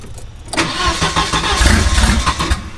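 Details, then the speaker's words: Turbo wagon on a Microsquirt standalone harness, super weak spark and bad signal, 1k resistor added per the wiring diagram: starter cranks, engine stumbles with a few uneven firings that fade out without idling; sputtering. "so the spark was super super weak the signal was bad and then the wiring diagram had said add 1k resistor if needed"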